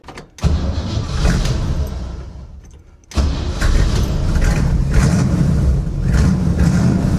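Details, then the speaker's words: 1963 Chevy Nova four-door, just fitted with a quick new exhaust with mufflers and a balance tube, heard from inside the car: it fires and settles into a deep, even, muffled rumble. A normal, much quieter exhaust note. "That's much quieter. From inside the car, this thing sounds Pretty tough, actually."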